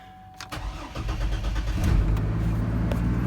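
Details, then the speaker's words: 2003 Chevy Trailblazer LT that sat about two years, with no jump. A short crank, then it catches and settles into a steady low rumble, idling on its own: normal engine start. "there she is starts on her own"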